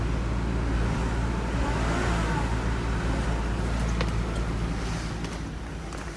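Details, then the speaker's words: 2003 Volvo XC90 at 173,165 miles, idling with the steering wheel vibrating. A low, uneven lope stumbles about three times a second. This is a light misfire, cause not confirmed. "it definitely got a misfire and Ireland"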